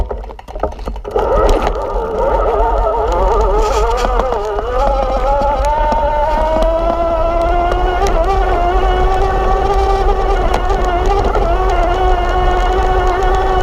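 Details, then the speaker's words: Kranked E Squared mid-drive (18:1 step-down) on a Santa Cruz V10, motor-powered from a standstill up a steep rocky ascent: smooth whine rising steadily in pitch, pulling strongly without strain. Normal motor whine under climbing load. "That's intense. I don't know exactly how fast I was going, but for uphill, it's impressive."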